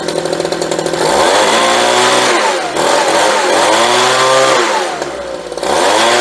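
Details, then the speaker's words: Homelite leaf blower after carburetor and fuel line replacement: crisp two-stroke buzz rising and falling cleanly with throttle, little pop, no misfire or bog; blowing strongly, normal running. "And that sounds real nice too. It's got that little pop to it that you get."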